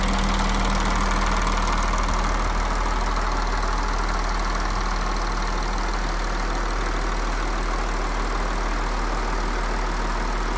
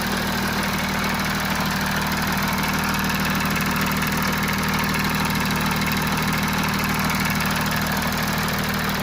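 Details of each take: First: Audi A6 C7 3.0 TDI V6 diesel idling smoothly and evenly, with a steady low hum and no rattle: normal idle after the service replaced the faulty timing chain tensioner and exhaust camshaft that had caused chain rattle when cold. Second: Audi A6 C7 (4G) 3.0 TDI V6 Quattro idling cold before service: busy metallic rattle over the diesel clatter, timing chain rattle; dealer later replaced the faulty timing chain tensioner and exhaust camshaft.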